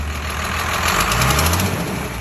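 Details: 1993 Fleetwood Bounder diesel pusher started after sitting two years, with the fuel system primed, fresh diesel and a new battery: a smooth, steady low rumble at idle with no stumble; a healthy idle.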